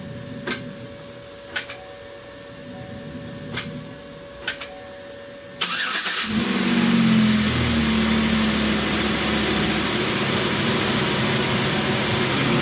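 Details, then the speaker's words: 2008 Pontiac Torrent / Chevy Equinox 3.4L after head gasket repair, started with no coolant yet: a few clicks, then a steady even idle with no knocks or misses; runs smooth. "so i don't have any cooling in it yet so we can't run it too long but it appears to run pretty smooth so go ahead kill it"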